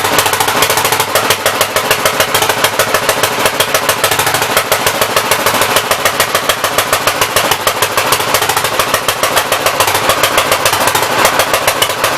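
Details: 1964 Gravely L being revived, main jet stuck and unadjustable: rough, uneven popping about three and a half beats a second with a harsh crackle; running far too rich, carburettor flooding; swapping the main jet from another carburetor considered.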